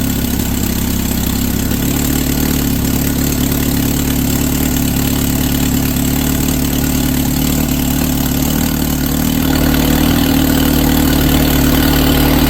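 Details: SX4 just fitted with a Holley 3200 carburetor on an Offenhauser adaptor, replacing a failing Varajet II, with an electric fuel pump at six psi: short cranking, then it catches snappily into a steady, even four-cylinder idle with no stumble or miss. Normal start and idle.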